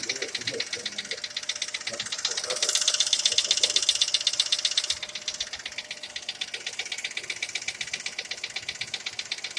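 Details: Skoda Fabia at idle, sharp regular metallic ticking about two and a half per second; engine knock, cause still being searched for.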